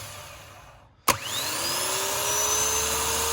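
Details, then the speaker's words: Starter from a 2014 Vauxhall Vivaro 1.6 CDTI non-runner, bench-tested off the van with a jump pack: sharp clack as the pinion throws out, then clean whine climbing steadily as it spins freely; healthy starter. "it's firing out lovely it's nicely moved up in there"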